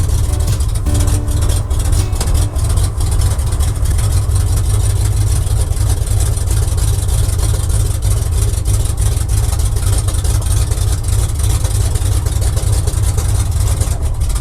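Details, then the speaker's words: Oldsmobile 350 Rocket V8 in a barn-find square-body truck, first start in 6 days on a cold day around 4 degrees, carburetor pumped, oil pressure about 30: deep loping rumble with an uneven, stumbling beat, barely running; rough running. "Boy, if this thing's gonna go to town, we got a lot of things to do. Come on. Barely running here."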